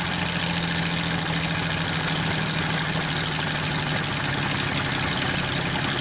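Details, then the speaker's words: Probably 1947 Worthington tractor with a Chrysler 218 flathead six, just started after decades, now running on all six: a steady idle with a busy metallic clatter over the rumble from a bad, rattling water pump. "Not too bad, just like the 46 Dodge pickup truck, the water pump's bad on it. I can hear it rattling some. But it picked up on that six cylinder, so it's running on all six now."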